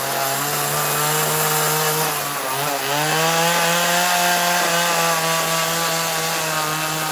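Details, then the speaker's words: Chainsaw during carving (MS170, 029 or Neotech NS832 on hand): steady high buzz then sags and surges unevenly, leaning out and sucking air as the tank runs dry; fuel starvation, out of fuel. "that was coming. I could hear it. It was sucking air. It made a little different sound, but we're out of fuel. That's the way it goes."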